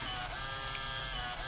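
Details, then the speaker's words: Zeltex ZX101C portable near-infrared octane analyzer, built-in thermal printer printing old and new slope/bias values after slope entry; soft high-pitched paper-feed whir with faint ticks, normal printing. "if I can zoom in on this for you as well is printing out the old slope and bias which are zero and one which are the default values"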